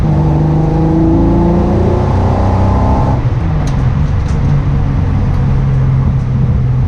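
Engine revs up then drops back with an uneven, stumbling note under throttle, suggesting a misfire; cause not evident.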